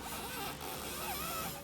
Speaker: or when you close it this sound could be caused by a few different issues you might have a worn out window regulator or a misaligned window